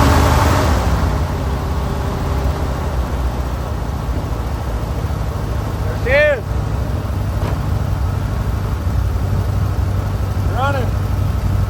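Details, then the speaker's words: 1970s Plymouth TrailDuster with a 360 Mopar engine, first start after 21 years of sitting, carburetor suspected gummed, electric fuel pump fitted: steady low rumbling idle, loud raw unmuffled note because the exhaust broke off; exhaust leak at idle. "hell yeah exhaust broke off sitting there idling holy crap"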